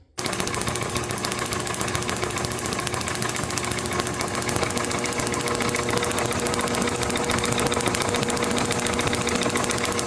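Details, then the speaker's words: International H4 magneto from a parts Farmall MD, overhauled and reassembled with its old wire for a TD-6 crawler, on the tester checking spark at four terminals: crisp, steady snaps about three and a half a second, never missing; normal spark. "That is a win. Well, with the magneto sparking, I think that's going to sum up this video."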